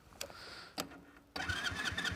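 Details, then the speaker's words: Motorcycle just collected after engine work, at start of 500 km break-in: faint clicks, then two-stroke fires straight away and settles to a crisp even idle; owner feels the sound differs from before, normal start. "Mais attendez, écoutez le bruit. J'ai l'impression que c'est pas le même qu'avant."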